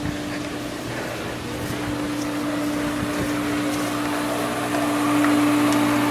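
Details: Pool pump at spring opening, fully primed after a troublesome second attempt; smooth even motor hum with constant water rush; running normally, though the pump seeps and leaks are found.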